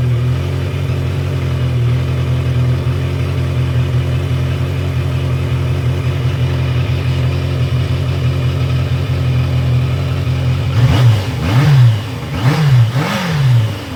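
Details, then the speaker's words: 1982 Yamaha Maxim 750 inline-four after an ignition switch repair and stator replacement: fires right up to a slightly fast idle with clean throttle blips. Normal running; the tachometer still does not work. "So, that all works. Perfect. Fired right up."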